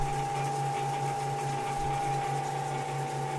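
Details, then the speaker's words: Harbor Freight 14" woodworking band saw running after the Accu-Link belt install and adjustments: steady, even hum with no knocking or wobble, smoother with much less vibration; normal running. "okay so here it is running after the link belt install seems to be much smoother it does feel better a lot less vibration"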